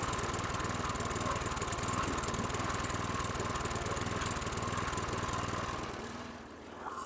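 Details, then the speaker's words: 2010 Toro Recycler mower, Briggs & Stratton 6.75 HP engine: slow, lumpy beat of about four firings a second, steady then dying away; idle too low, spring tension suspected insufficient. "he okay that was a challenge so you can hear the low idle I think I know what I'm going to do I'm going to bring that spring back I don't think there's enough tension here"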